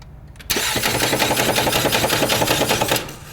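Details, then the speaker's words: Ford Fusion that won't start: loud rapid metallic knocking clatter while cranking, engine never catches; transmission fluid, first mistaken for engine oil, leaking up front; flywheel suspected cracked, transmission must come out to confirm. "start again one more time okay so something is causing that issue what it is we don't know maybe the flywheel is cracked"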